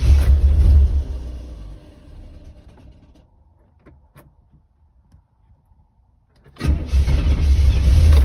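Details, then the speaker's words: 1985 Chevrolet Corvette after sitting two weeks under snow, with a fuel pressure gauge fitted: fires and runs rough, sags and dies, then restarts. Pressure hits 20 at key-on and about 40 running, then quickly drops back, so it stalls at idle from fuel pressure loss. "so as you can see the needle jumps up to 20 when i turn the key on and then it wants to go to 40 when it starts but it doesn't want to idle and as soon as i turn the engine off or as soon as it sputtered and died the fuel pressure dropped back down at 20 pretty quickly"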